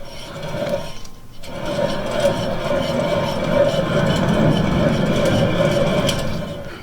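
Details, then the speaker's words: 2013-17 Honda Accord Sport: humming from the rear while driving; with lug nuts loosened the wheel shows play, and a gritty, rasping grind with a steady rough drone is heard as the hub turns, confirming a very bad wheel bearing. "these are just loose but they're actually tight enough to where the wheel shouldn't move and you can actually hear it so the bearing is indeed very bad on this car"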